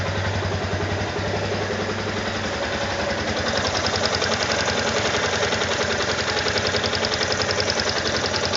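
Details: Brand-new Yamaha Ténéré 250, under a month old, idling: quick fairly even light ticking, three or four a second, over the single; owner unsure whether this rattle is normal.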